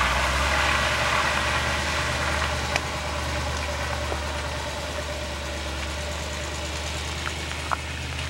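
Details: 1966 Chevy K20 4x4 with a fresh 454 big-block V8: deep, steady rumble holds even as the truck pulls away, with a few light clicks; runs smoothly.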